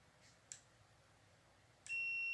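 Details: Multimeter on an LG 32LJ510D/32LH510D TV stuck in standby: two faint taps then a steady high continuity beep both ways across a capacitor rail, showing a short in the circuit or capacitors.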